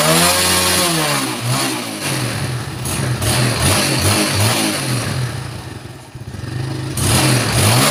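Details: Yamaha Jupiter Z1 single-cylinder, reassembled after correcting another shop's botched repair and given new oil, starts and revs up and down cleanly with a steady exhaust beat, no knocks or rattles; engine sounds healthy.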